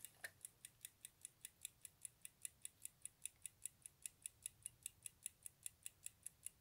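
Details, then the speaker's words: Sauter clock (cleaned, in very good condition) running in manual mode with no power on the installation: crisp, quick ticks at a steady, even beat over a quiet background; clockwork running properly, normal ticking. "mais elle fait tic-tac donc je vais essayer de nous faire entendre sa"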